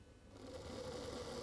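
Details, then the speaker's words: Older Hornby Class 43 HST (125) locomotive with a Ringfield motor, on a rolling road with an old controller: it needs nearly half power before the motor suddenly bursts into a busy buzzing whirr, showing hard starting. The motor is due for replacement. "now i've connected steve's one two five unit up to an old duet of mine on a rolling road and if i turn the power up you can see we're well up um nearly half before she"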